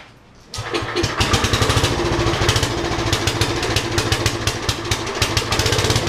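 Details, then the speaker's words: Roughly 40-year-old Lincoln Weldanpower 150 genset welder, rope-started cold: silence, then it catches at once into a steady single-cylinder thump near three beats a second; clean cold start, though the idle may be a little low. "Is that a mean idle or what? Well, maybe the idle's a little too low."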